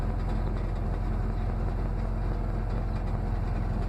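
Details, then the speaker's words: Dodge Ram 50 truck with tired four-cylinder engine, cold start after sitting about a month, old plugs, wires, cap and rotor: deep, uneven lumpy idle running on three cylinders, number four trying to kick in; misfire before ignition parts replaced. "we're on three cylinders your number four trying to kick in"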